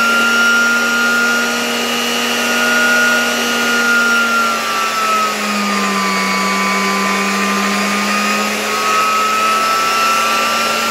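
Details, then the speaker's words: 1987 Zelmer 200.8 vacuum cleaner after swapping in a different type 300 motor, run at reduced voltage. Smooth steady whine whose pitch sags gently and recovers, no crackle; no visible sparking, seemingly slightly lower speed than the sparking original motor. Normal running. "No i teraz muszę powiedzieć że działa to dużo dużo lepiej kompletnie nie widać tutaj na tym silniku żadnego iskrzenia"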